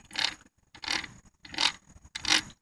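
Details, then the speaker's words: 1994 Lexus LS400 differential, removed from the car and turned by hand from either side. It gives a repeating rasping scrape about every 0.7 seconds, the same noise heard while driving and with fluid in it. Owner is unsure whether this is normal gear noise or a fault. "so the differentials out of the car and I started to spin it and makes the same noise that I've been hearing"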